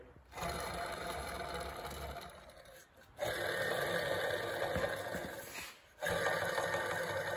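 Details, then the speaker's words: Modified Coleman mini bike torque converter spun by hand gives a rough, gritty whir from worn-out bearings. There is a lot of end play on the shaft, which may have caused the bearing wear; it was heard before the bearings were replaced. "if you're getting a lot of sound on a mini bike or a go-kart or whatever your application is there's a lot of things out there that have this style of torque converter on it the bearings bad you can hear it listen very carefully"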